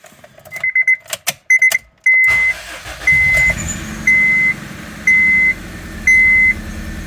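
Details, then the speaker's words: 2001 Honda Civic LX after replacing coil packs, cam cover cap and alternator: first start, catches and settles into a quiet, even idle under a once-a-second dash chime, no shaking, misfires or engine lights. "thank you well that's really quiet Lou you hear that [Music] I'm not shaking like crazy we'll let her circulate a little bit"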